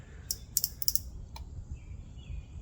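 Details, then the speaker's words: Vintage CRT monitor rescued from an abandoned house, powered on: sharp, irregular snapping ticks over a faint hum; high voltage arcing seen coming from the flyback transformer. "I am seeing that coming from the flyback. I'm pretty sure I'm pretty sure it is the flyback that's arcing."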